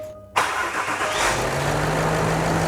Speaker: oh that's better sounds better now